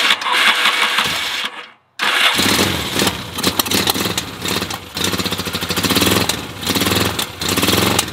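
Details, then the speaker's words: 1975 Yamaha XS650 twin, carbs recently worked on, cold kick start on choke with a little throttle: catches then runs rough with uneven beats and dropouts; misfire, cause unconfirmed. "can hear the misfire right now it seems be running out the SLE"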